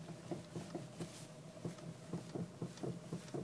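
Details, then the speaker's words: Honda Civic 4-door, nearly 87 (thousand) mileage: dull, hollow knocks about two a second with each rock of the steering wheel, also heard outside; knocking steering rack, to be replaced. "всем привет застучала рейка пробег почти восемьдесят семь стучит вот так"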